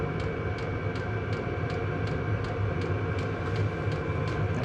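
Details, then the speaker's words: Cheap Chinese diesel heater just installed in a 2006 Nissan Frontier, first startup warm-up: crisp fuel-pump ticks about every third of a second over steady fan hum, before the glow plug shuts off; normal. "a few pumps on starting to put out some heat as soon as the gold plug gets hot enough the glow plug will shut off and fan should speed up"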